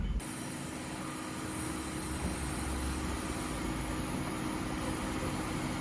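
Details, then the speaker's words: 1998 Oldsmobile Aurora V8 revived after sitting since 2016, fans now working: quiet, smooth idle with a soft, even hum, no misses, ticks or knocks, like a sewing machine. Normal idle. "Nice. Like a sewing machine."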